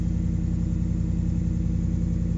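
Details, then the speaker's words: Stone-cold start of a Ram truck with a new Solo exhaust, not moved in a while: deep, steady, rich-sounding idle with an even pulse and no knocks or misses; a normal cold idle. "yeah so that's a cold start it's not uh not moved in quite a little while there it's gonna be stone cold"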